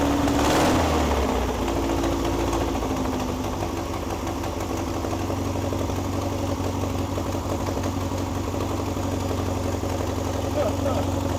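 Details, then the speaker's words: 1961 VW Beetle barn find air-cooled engine, running its best yet after clutch and gear trials: steady even idle, regular low beat about four pulses a second, no misses. Normal idle. "That's like the best it's ran. Oh, listen to that. Oh, those are burning. Woo! It's idling."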